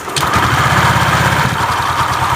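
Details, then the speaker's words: Honda Vario 125 CVT after repair of a clunking rattle, fitted with a used pulley from a Beat carburetor model: the engine starts and settles into an even putter with no rattle from the belt drive. "lancar, kan, saudaraku? Lihat, bahkan dalam posisi ini, tidak ada suara berderak lagi."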